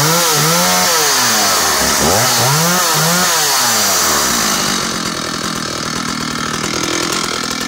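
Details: Stihl 056 AVSEQ 87cc early-80s chainsaw revs high with a wavering buzz, then drops cleanly and quickly back to a steady, even idle; engine healthy.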